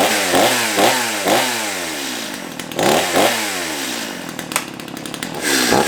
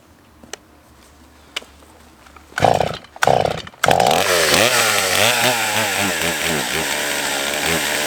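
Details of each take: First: Stihl MS211 two-stroke chainsaw after restoration and chain sharpening, first run: revs up and drops back in repeated throttle blips, picking up cleanly and settling to idle; slight slop but running healthy. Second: Old Stihl chainsaw on fuel of unknown age: catches after a few pulls but revs waver and sag instead of holding clean. Owner suspects adjustment or a worn carb; later put down to a likely dirty fuel system.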